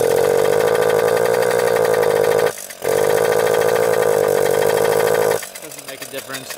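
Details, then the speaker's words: Old Suzuki Jr 50 single-gear two-stroke, as bought: uneven buzz, brief cut-out, recovery, then sag to a rough low stumble; bogging, air screw adjustment no help, owner suspects clogged pipe, dirty carburetor or wrong plug. "with the fuel mixture air screw that doesn't make a difference so I think it's the pipe that's clogged or the carburetor that's a really dirty"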